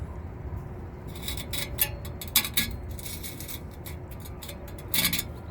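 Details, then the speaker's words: Rusted-through Lennox rooftop unit heat exchanger, old part removed with pinholes and rusted seams, tipped by hand: loose gritty rattles and tinkling as rust flakes and scale slide around inside before replacement. "So you can hear all that rust inside of there."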